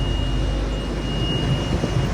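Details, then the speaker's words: Combine corn head, first year with this used head, after greasing gearboxes with corn head grease: smooth, even mechanical drone with no knocking, clatter or chain slap; chains adjusted with no slop, running normally. "So it looks like everything's running good. Everything sounds good. None of the chains have any slop in them, it doesn't look like."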